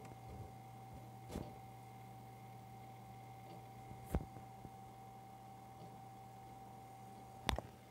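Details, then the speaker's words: Replaced fan in an IBM Fedora 23 web server, mic at a distance on the bench: low steady hum with a constant mid tone and occasional clicks, slightly louder than at first start; runs smoothly and fairly quiet. "And around the front. I can hear it. It seems to make a little more noise now than it did when I first started up."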